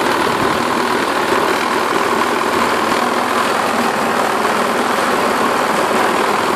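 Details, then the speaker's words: Self-propelled 550-series lawn mower with plenty of oil, blade looks straight and balanced: harsh, buzzy, rattling drone, excessive vibration with the cause unconfirmed (owner suspects the self-propelled drive or its belt). "It runs. I mean, it starts and it cuts and it drives to the self-propelled. It's just it vibrates a ton."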